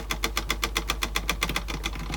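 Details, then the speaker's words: Sansui dual cassette deck with basic Tanashin-type mechanisms, in play: quick, even clicking about seven times a second that fades after two seconds; the tape transport is binding, cause not yet confirmed. "is locked by something seemingly it's something yeah so that again making that noise in play so we've definitely got big faults of this thing"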